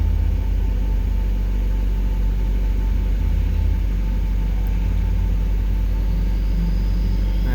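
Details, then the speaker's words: 1996 Mazda Miata 1.8 four-cylinder at cold start: fast but perfectly steady high idle hum with no misses or surging, no blowback; occasional lifter tick noted otherwise. Healthy, normal cold idle. "it's as you can see it's idling high tipping it's a cold start but it's huddling very stable nice and smooth"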